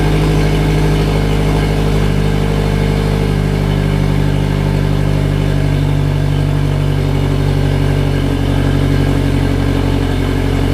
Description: Ran rough on idle for ~15 seconds then settled down.